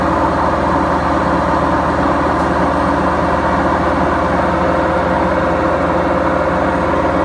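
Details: BEKO washing machine, 7 years 8 months old: loud steady low roar with constant hum through the spin, no rhythm change; worn drum bearings.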